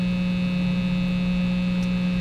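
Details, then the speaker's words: Vintage-style single-coil Strat with a hum-cancelling dummy coil disconnected: constant low buzz with a steady overtone, the full single-coil pickup hum; reconnecting the dummy coil makes it quiet. "when I unhooked the dummy coil that's how much hum would be on this at any time"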